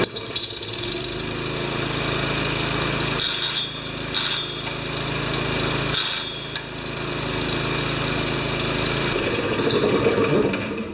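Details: Honda-powered wheelbarrow air compressor being rebuilt, screws swapped to 8mm heads, started on choke. The small single-cylinder engine catches and settles into a steady, even buzzing run with a few brief bursts: running normally.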